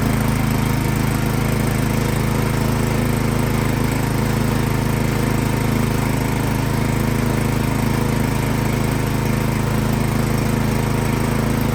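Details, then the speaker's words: Craftsman snowblower that started then died, after spraying carb cleaner into the main jet without removing the carburetor: runs loud and rough, hunting and surging; something still clogged in the carburetor. "So it's hunting there, it's surging. So that tells me that something is still clogged up in that carburetor."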